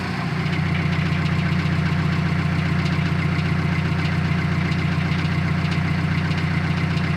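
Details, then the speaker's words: Built 400 hp Subaru Outback XT at idle: faint repetitive knock, about two to three per second, tied to engine rhythm, intermittent over 2000 miles; owner suspects the transmission area, source not yet found. "And it could be my transmission. I mean, I have no idea, but that's kind of where it sounds like it's coming from."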